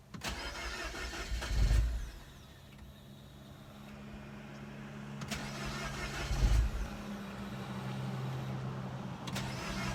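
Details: Mini Cooper R56 N18, cold start: repeated long cranking bursts with a low churn that never fires, even after about 30 tries; no fault code; owner suspects failing high pressure fuel pump; cold no-start.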